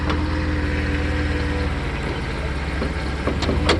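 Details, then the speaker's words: 1990 Mercedes-Benz 300SE W126 with M103 inline-six, idling just after delivery: low steady idle that rises and falls slightly once in closed loop; owner suspects a vacuum leak, not confirmed. "See the idle fluctuation up and down a little bit, because once it gets into closed loop, it adjusts, so I'm sure there's vacuum leak."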